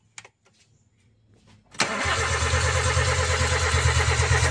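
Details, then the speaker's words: 2007 Toyota Avanza 1.3 that died suddenly while driving, cranking with throttle valve open at about three pulses a second, never catching; fuses, scan, fuel pump, ignition, injectors OK; compression air puffs back through intake, suspected leaking valve. "Jadi kalau ada suara angin yang kembali dari Intake ini seperti klep bocor ya angin dari tekanan kompresi seperti kembali atau terpen balik ke intake"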